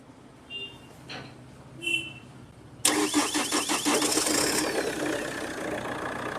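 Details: Chevrolet Cruze diesel after adding a single temporary ground wire, no fault codes present: a couple of quiet clicks, then catches at once and settles to a steady even idle; starting problem was a bad earth/ground.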